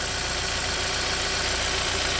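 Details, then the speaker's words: 2013 Hyundai Sonata, about 26,000 km, burning oil, after new spark plugs and PCV valve, oil filler cap off: steady idle drowned by loud constant hissing rush, spraying oil; heavy crankcase blow-by, unfixed. "yeah so it's running fine spark plugs are in but you can hear it you can see it you know it's spraying oil everywhere runs okay"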